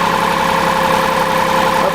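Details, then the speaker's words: Diesel generator restarted after automatic shutdown, preheated, fuel solenoid and electric pump energized: drones at low laboring speed never reaching normal pace; low rpm from fuel starvation, dirty fuel filter later confirmed as culprit. "okay it's running too slow which can be struggling for fuel with the dirty fuel filter we'll check that tomorrow"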